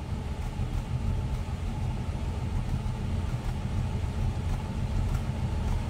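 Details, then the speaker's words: 1965 Dodge Dart convertible, 273 V8 with 4-barrel carb, heard from inside the car at idle: deep, even rumble, smooth and steady with no misses; healthy idle. "This thing's got a little rumble to it. These darts are always popular. There's no doubt about that when we get them in."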